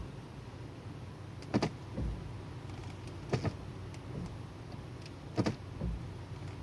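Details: Automatic transmission shift-shock check: quiet cabin with separate dull clunks a couple of seconds apart when shifting into D and R; transmission clunk on engagement.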